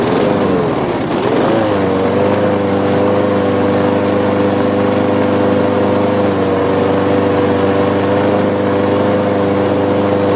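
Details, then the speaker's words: Lawn mower suspected of a bent crankshaft, started after priming: single-cylinder engine sags and wavers in pitch, nearly stalling, then catches with throttle and settles; owner will inspect the carburetor bowl and notes strong vibration. "i can see it tried to die there and i played with the throttle and it kicked in so i'm going to take a look at uh at the carburetor look at the bowl and see if there's anything needs to be cleaned on it"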